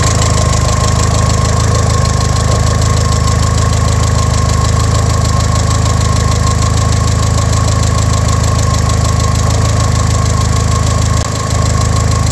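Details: Engine warm after oil change for break-in on fresh piston rings, restarted before a 15-mile break-in drive: steady, even idle with constant low drone, no knocks or misses; normal idle.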